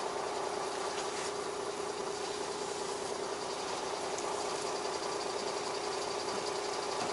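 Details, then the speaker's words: Beaver motorhome started on an unusually cold Gulf Coast day after a dead, water-low starting battery; after starting rough it now runs better with 13.7 V charging, an even steady idle drone with no stumbles or misses: normal idle. "battery accessories all right I'm running a lot better now foreign"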